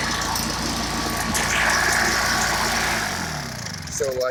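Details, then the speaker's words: Stihl two-stroke backpack blower that wouldn't start, now started after about 15 pulls. Loud, steady drone with a thin whine and no stumbling; running normally. "now i'm going to show you it's going to be loud but it starts up now like a charm"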